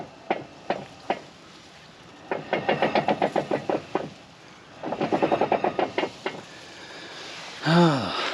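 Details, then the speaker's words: First-gen Toyota 4Runner front axle, hub locked and axle turned by hand: sharp, irregular clunks in quick bursts, three or four a second; something clanking inside the front differential, possibly a locker, suspected, not confirmed. "Let's see where that noise is coming from. Now, something's clanking. It feels like there might be a locker in there."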